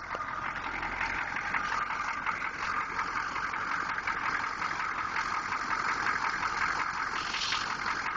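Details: 6.2 engine at quiet idle with a light, fairly regular tapping knock around three times a second; engine knock, cause unknown.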